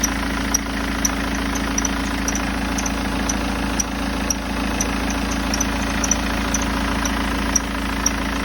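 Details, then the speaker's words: BMW 320d E90 with M47 diesel at idle, air intake and front engine cover removed: sharp, high chirps about twice a second over the clatter. The tensioner was first suspected, but the cause was a worn serpentine belt squeaking. "I believe you agree with me that not easy at all to determine from where the noise is coming from when the engine is running."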